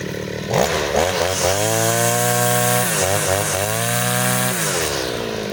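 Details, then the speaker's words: Side-mount two-stroke brush cutter with its carburetor fuel screw (under the carb) turned half a turn for string-line use, cutting grass: light, clean high wail that dips and recovers, no bogging; mixture set right, normal running under load. "bunyinya itu ringan guys ya, bunyinya itu ringan, tidak ada ho ho ho, tidak ada ya."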